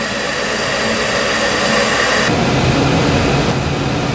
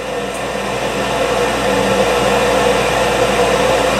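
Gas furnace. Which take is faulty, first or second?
second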